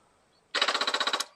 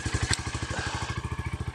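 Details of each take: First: Stolen, abused Royal Enfield Meteor 350 of unknown mileage, first start attempt with the kickstand down and the fuel pump primed: about ten sharp even clicks in under a second, no cranking; dead battery and loose battery cables. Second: Stolen, abused Royal Enfield Meteor 350 single-cylinder, first start, kickstand up: steady even thump at about four beats a second with no scraping; healthy idle.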